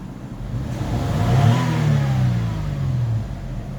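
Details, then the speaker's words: Toyota Highlander after replacing the ignition coil for random, cylinder 1 and cylinder 5 misfires: engine pulls up smoothly past 2000 rpm under throttle with no stumble or popping; revs cleanly, misfire fault corrected. "So as you can see, the car is running after we changed the coil. So let's try and accelerate and see if it will go past 2 now."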